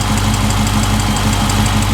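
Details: Dodge Charger 392 idling after oil change, drain plug and filter checked with no leaks: steady, even idle with smooth regular beat and no rising or falling swings; engine running cleanly and healthy.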